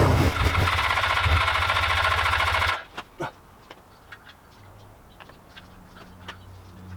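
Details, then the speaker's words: Old Suzuki GS500 twin, started only by covering the carb intake by hand: it fires, runs rough and lumpy for under three seconds, then dies. Poor idle. "well it works again but it's not really idling very well"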